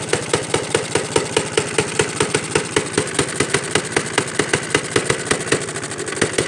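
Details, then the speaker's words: 1937 Johnson Iron Horse single-cylinder engine on a cold start: slow beat with a sharp rattly clatter on every stroke. Owner suspects loose parts; a mechanic suggested the valves may not be seating right. Unconfirmed. "that's enough reason I think the reason why it sounds like that it's just because the the parts under you ain't like tight"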